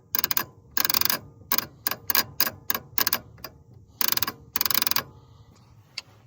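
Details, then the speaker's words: Willys Hurricane engine being freed up, starter jumped from 12V post with exciter wire cut: rapid bursts of sharp clicking in quick groups, no cranking; owner suspects bad starter solenoid, unconfirmed; starter clicking, no crank. "so sounds like that solenoid might be bad, which I have one."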